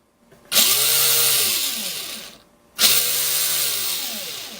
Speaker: I promise you now that clicking sound is gone